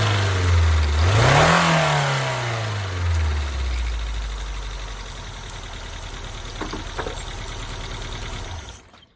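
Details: 1999 Hyundai Elantra after a timing belt replacement for a no-start caused by belt failure: fires, revs up and drops to a steady idle, with a couple of sharp spits near the end, possibly excess fuel from earlier start attempts. Running fine.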